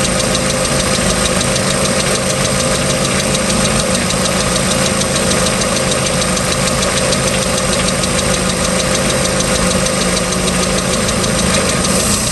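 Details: Ticking noise on a 3.0L MerCruiser boat engine, started at beginning of season, second owner; steady run with a faint, even tick riding over it, cause unknown.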